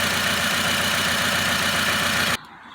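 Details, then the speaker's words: Engine shaking at idle with a rough, irregular four-cylinder thrum under a loud hiss, then cutting off, on a 2008 Nissan Rogue. Engine light is on with code P0300 for random/multiple cylinder misfire. Owner hopes it is just a spark plug and plans to replace the four plugs. "As you can see, the engine is shaking right now, so hopefully it's just a plug."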